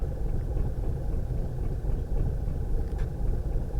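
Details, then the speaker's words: 2012 Volkswagen CC R-Line 2.0, rough idle and stalling with misfire and camshaft codes: uneven chugging, three or four lumps a second, barely changing with throttle; cam timing -35 actual versus 28 target, variable valve timing suspected. "let me give it a little throttle it's not changing much coming up a little that's still way off Target this thing is just chugging not sure if you can hear"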